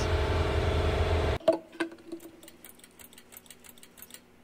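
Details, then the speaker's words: Fully rebuilt Oldsmobile 350 V8 from a 1971 Cutlass, first test fire while hanging from a tractor bucket; it cranks and runs evenly for over a second, then shuts off into light clanks of hanging metal, sounding healthy. "And it does crank, and I was so pleased to hear that run."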